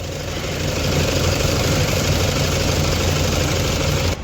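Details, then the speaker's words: Toyota Fortuner diesel, misses and knocks once warm though it starts fine cold, heavy vibration felt inside: uneven stumbling clatter and loping beat at idle, about three to four pulses a second; misfire from faulty injectors. "देख सते कैसा य पूरा वाट हो रहा है इजन इसका काफी ज्यादा वाइब्रेशन हो रहा"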